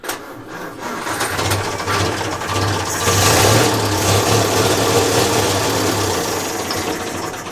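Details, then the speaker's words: 1932 Morris Minor four-cylinder sidevalve, 6V battery, barely run since early 1970s: catches, runs rough and uneven several seconds, then sags and stalls; choke possibly still out, cause not confirmed. "will it keep going or um there's the choke still on is it is it still out"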